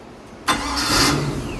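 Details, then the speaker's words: OMC Cobra boat gear-reduction starter, previously seized (owner assumes moisture), after freeing the brushes, cleaning, media blasting, cleaning the armature, regreasing and bench testing: sharp engagement, then a quick crank that catches into a steady run within a second; starter works normally. "Bench tested it, put it on, and let's hear the starter work."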